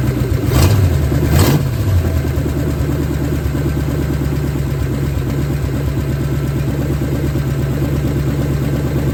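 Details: 1970 Ford Falcon, freshly budget-rebuilt 5.0 V8, cold, on open shorty headers, cold oil pressure about 70–80. Two quick throttle blips, then it settles into a steady rumbling idle with no ticking or knocking; healthy.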